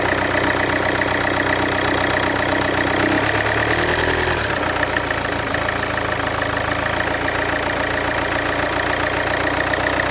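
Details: Land Rover Freelander 2 at idle: harsh, loud clattering with an uneven tapping rhythm about twice a second over the engine roar; abnormal loud engine noise, source unconfirmed.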